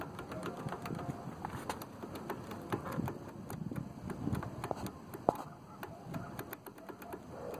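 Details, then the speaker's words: Hyosung Aquila GV 250 V-twin motorcycle idling with sharp uneven ticks and knocks from inside the engine; diagnosed as a crank bearing loose in its main bearing seat, rear cylinder runs hotter. "hay una que está suelto en la bancada de rodamiento no tienen acción"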